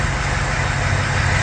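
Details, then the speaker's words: Ford 6.0 Power Stroke V8 diesel idling after #8 fuel injector replacement, earlier miss gone, exhaust heard with good pressure: deep smooth idle with soft even eight-cylinder pulse, no miss; normal idle. "Oh yeah, well yeah, you got 8 cylinders, it's gotta have. Yeah, good pressure coming out."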